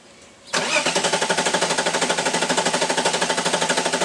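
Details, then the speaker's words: Engine cranked with ignition coils unplugged after installing a Mishimoto oil cooler, priming oil until oil pressure builds: about three even starter chugs per second for nearly four seconds, no firing; normal cranking without spark. "so now the ignition coils are not gonna fire and without spark the motors not going to so now I'm basically just gonna crank it for a minute or so until I have good oil pressure"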